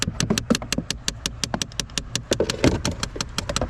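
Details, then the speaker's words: 2012 Chevrolet Impala, key on: sharp, fast, even clicks about six or seven a second behind the dash over a low hum, from the HVAC recirculation door actuator behind the glove box; failed actuator confirmed. "yeah that's the uh recirculation door actuator that was definitely making the noise"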